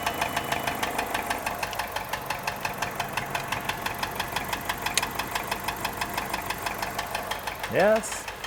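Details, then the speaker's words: 1991 Nissan Figaro, idling with boost tube reconnected, listened with a screwdriver; steady fast rhythmic tapping knock over idle, owner suspects knocking and plans oil pan removal, timing belt tensioner bearing considered, cause unconfirmed: engine knock. "it's probably knocking more than likely let's turn that nonsense off yeah so it's got big problems"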